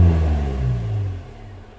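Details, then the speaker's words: 2015 Vauxhall Vivaro 1.6 CDTi diesel with EGR deleted, cuts out around 2500 rpm cold and 3000 rpm hot: low rumble that dies within two seconds as revs climb past the limit; engine cuts out when revved above 3000 rpm. "it shuts off."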